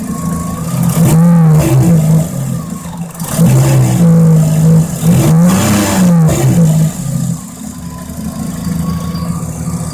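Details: Mazda RX-7 rotary engine blips the throttle a few times, then idles with a raspy, puffing exhaust note from an exhaust leak.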